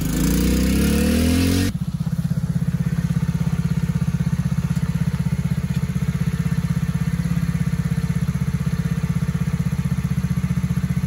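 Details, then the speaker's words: TAO 110cc ATV with a brand-new replacement engine, governed to about half throttle, being ridden: small single thumps along at a steady, even beat with no knocks or misses; runs pretty good; normal running. "We've got it governed back to about half throttle. Still fast for a little guy. But runs pretty good."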